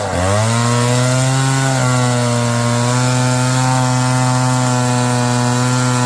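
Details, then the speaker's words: Roll G2000 two-stroke chainsaw winch after new carburetor diaphragm and quarter-turn high-low mixture adjustment, hooked to a load: strong steady drone, picks up quickly, even pitch, no bogging or surging; running well. "That thing works freaking awesome. Well, that was pretty easy fix."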